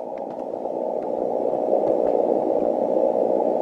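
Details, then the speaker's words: 160 m receive station: steady rushing static in the mid range, swelling and drowning weak signals, heard when the rotator cable wire is connected and gone when disconnected, about one S-unit; common-mode noise from the rotator cable. "so I've got some more work to do to isolate the common mode noise but these are the types of noises that we have to get rid of"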